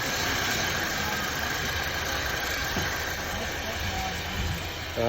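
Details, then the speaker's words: 2002 Nissan Altima that ran rough with hesitation, after a basic tune-up with new spark plugs and clean gasoline; owner suspects low fuel and tank condensation caused it: low, even idle, steady note, no stumble over several seconds; running smoothly. "sometimes the simple things pay off no more hesitation just with the plugs and some clean gasoline"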